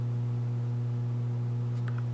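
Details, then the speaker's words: Harman Kardon AVR 510 receiver: steady low 60-cycle mains hum with a faint buzzy edge from the speakers, suspected bad power supply filter capacitors, one in the filtering section visibly unhealthy. "60 cycle hum so that's going to be a bad power supply gaps or something somewhere"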